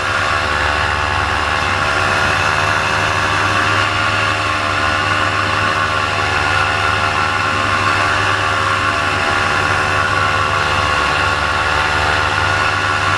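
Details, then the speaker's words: Paramotor two-stroke engine in flight at full throttle: high steady buzz whose rpm drops and bogs, losing power, cause unclear; the pilot landed to check it. "you're going to hear the RPMs just start to drop drop down and start to bog and bog and that's when I realize hey something's up"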